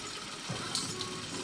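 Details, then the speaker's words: Honda Click 125i scooter after a broken wire was repaired: light, even idle with steady hiss and no knocks or misses. The charging test shows the battery now charging at 13.3–13.4 V; normal running. "Ayan umaandar na so test natin yung charging niya kung tumataas na ba"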